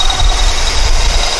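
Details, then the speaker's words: 1999 Honda Accord, F23A replacement engine, codes P0108 and P1129, MAP output not changing: low, lumpy uneven idle rumble; timing issue or massive vacuum leak suspected. "when I had the car running this value never changed but I'm beginning to suspect there's a timing issue or a vacuum week massive leak somewhere"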